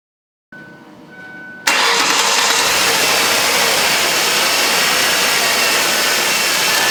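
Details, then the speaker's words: 2006 Ford Taurus 3.0L V6 after replacing a bad idler pulley that squeaked and wobbled; engine catches after a short crank and idles smoothly with no chirp or squeal from the serpentine belt, quiet accessory drive. "so the squeaking is gone and as you can see here if I can get my camera dis M there's the new idler P right there"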